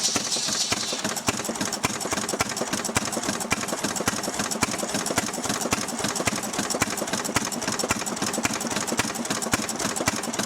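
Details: Restored 6hp Fairbanks Morse Model Z engine on kerosene, driving a buzzsaw cutting firewood: steady chuffing beats about two a second with a sharp clattery top end and no misses; normal healthy running under load.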